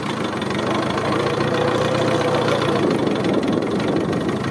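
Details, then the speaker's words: Cub tractor after a brake job adding brakes (previously left-wheel only): the engine note drags low and uneven, lugging down, when the differential brakes are used at slow speed. This should be avoided in third; second gear is acceptable. "don't try to use the differential brakes you can get away with it in second gear don't do it in third gear though on this thing um but you can hear how it looks the engine down trying to differential brake at slow speed"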